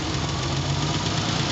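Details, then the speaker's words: 300k-mile Ford Bronco II after OTC injector cleaning of plugged injectors; it had idled on 5 cylinders, rough, with a puffing exhaust. Now an even, steady idle with no misfire and only slight vibration: a normal idle. "it is uh still got a little vibration but oh my goodness let's go back and listen to the exhaust totally smooth that made a big difference"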